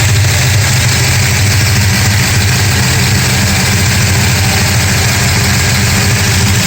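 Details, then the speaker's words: 1969 Dodge Charger 440 big-block, still warming up at idle after re-torquing loose #2 header bolts and intake bolts that caused loud intermittent banging: deep even rumble, no metallic clatter; exhaust sealed, normal idle. "here's your engine running again i think i might have fixed the problem we'll see it's still warming up but uh i haven't heard the clatter yet"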